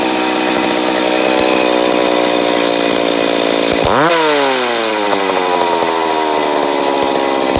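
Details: McCulloch Pro Mac 850 chainsaw, first start after rebuild: screams at high revs, drops sharply, climbs back without settling, hunting like a lean engine; owner suspects an air leak on the flywheel side.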